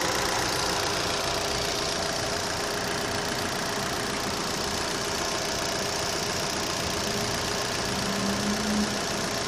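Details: Opel Z18XER engine at steady idle with a quick, fairly even ticking on top, about three to four per second; owner asks whether it is normal, cause not obvious.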